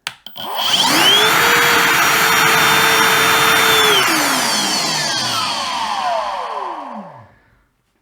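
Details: Milwaukee Packout cordless vacuum, motor tested out of the housing at speeds one and two: clean, steady whine at even pitch, then smooth wind-down; normal running.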